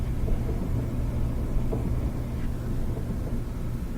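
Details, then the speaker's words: Gas dryer on high heat after coil replacement: gas valve coils click, flame lights, then soft steady low roar with no popping or flutter; burner burning normally, being timed for flame cycle. "we're gonna listen for when we hear the click of the gas coils that let the flame start there we go flame just started start the clock"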